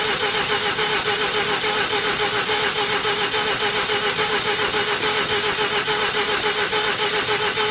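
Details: 1988 Mazda RX7, 1.3 L 13B twin-rotor rotary, sat 10+ years, in neutral, mic left by the car: starter spins the engine at a steady, even pace with a whine on top but it never fires. Cranks, no start; cause not yet known.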